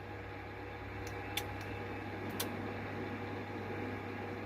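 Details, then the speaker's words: Amateur radio receiving through an SDR on an MFED half-wave antenna on 80 and 40 m, noise floor about S6–S7: steady hiss, low buzz, fixed tones and clicks. The noise drops when the power supply is switched off, so the switch-mode power supply is the source. "and it's more vivid so uh those i have found out um that's the power supply doing that"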